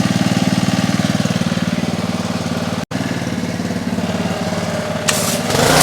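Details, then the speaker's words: Trash-picked Ryobi RY80940B 3100 psi pressure washer (Jan 2018) with Honda GCV190 engine, after carb cleaning, warmed up: quick even single-cylinder beat, no misses or rattles; works fine, no water leaks. "seems to work just fine pretty cool I don't see any water leaks either it's all dry"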